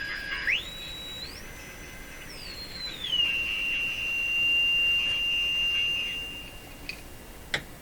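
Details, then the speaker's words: Sparton Model 5049 radio, which oscillates when the IF transformers are peaked: pure whistle gliding up and down, then holding a steady high tone. The set is breaking into spurious oscillation. "as soon as it breaks into its own oscillation it's it's its operation is different and sometimes just that difference can be heard aside from the actual oscillating tone"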